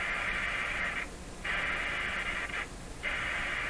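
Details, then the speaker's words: Grundig 2030 AM/FM tube radio, dial string fitted and tuning capacitor turning freely; hiss and static cut out scratchily as the dial turns; capacitor short or contact issue suspected. "certainly sounds like a contact issue"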